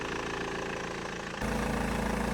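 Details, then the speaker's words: 2005 BMW 1 Series E87, M47 diesel, 400,000 km: steady idle with even low beat, no hunting or misses, holding RPM without spikes; owner mentions a possible squeak from alternator belt or pulley; otherwise healthy idle. "So that's it. The engine sounds great. No major issues found so far. The car is holding RPM steadily, no spikes from 800 to 1,000, etc."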